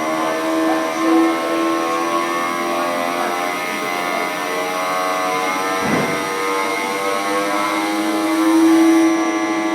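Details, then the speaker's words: 900 kW electric motor on assessment test before overhaul, running at full speed: dense humming whine with noticeable shaking vibration; bearing defect frequency found by condition monitoring. "the inverter or the bearing. The bearing. Because you'll hear that noise still when it gets to full speed."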